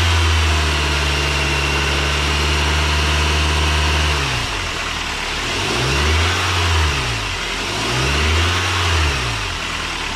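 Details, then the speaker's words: Belt drive now completely silent at startup and revs after dielectric grease applied to the belt, which previously squeaked for the first 30 seconds to a minute when cold and around 2,000–3,000 rpm; engine settles, revs rise and fall twice with no squeal. "So as you can see, I started it up, did the same exact test that I did before I applied this product, and as you can see, there is no more squeak, no more squeal. It is completely silent."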